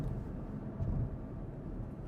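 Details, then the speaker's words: 2014 Porsche Cayenne after replacing the worn front differential (failed pinion bearing), coasting off throttle, heard in the cabin: only smooth low road rumble, with no grinding, humming or buzzing from the diff or transfer case; the drivetrain sounds healthy. "We're just coasting and no sound. It's exactly how it should be in the interior of a Porsche Cayenne. No grinding, no humming, no noise whatsoever."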